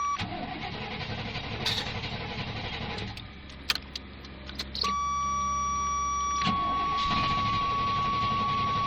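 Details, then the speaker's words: Fuel-injected gasoline Suburban (first year of that injection, known problems) cranks steadily at about four beats a second but never fires; ran before on ether, possibly out of gas. "it it it's saying it wants to go but yeah it's a lost cause it's not a diesel that's why it's not running"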